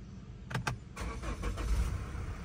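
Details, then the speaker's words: Mazda CX-5 at auction, already warm: short crank, then fires straight away and settles into a steady, low, even idle with no misfire or rattle; normal start. "fired right up this is amazing"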